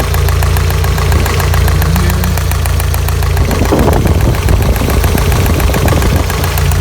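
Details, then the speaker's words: 1985 Toyota pickup, 22R 2.4 engine, rarely driven, after fuel filter change, warm idle after about 10 minutes: fast, even light ticking over the idle; owner suspects lifter noise, or maybe chain slap or bad guides, not confirmed. "Got some lifter noise here, or maybe chain slap, bad guides, or maybe lifter noise."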